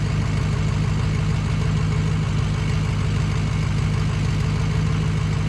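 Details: 6.0 Powerstroke diesel idling with a regular uneven lope, about three beats a second, as one cylinder drops out: bad injector in cylinder #6.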